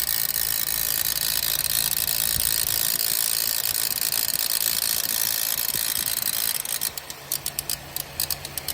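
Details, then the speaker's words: Suzuki Swift with Panasonic AC compressor, engine running with AC on: fast harsh metallic ticking rattle about four a second over the engine from the failing compressor, which was then removed. "तो friends, अभी जो है मैं आपको compressor की जो आवाज़ है, जो नॉइज़ है, वो आपको चेक कराता हूँ किस तरह की है।"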